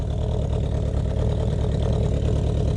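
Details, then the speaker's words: Honda CB500/550 four-cylinder, cold start without choke in warm Florida weather, started every few days to keep carbs from gumming: low, uneven, lumpy stumbling idle; owner judges a rich condition, cause unconfirmed. "so that's definitely a rich condition um I'm starting her every couple of days just because I don't want the carburetors to really get very gummed up"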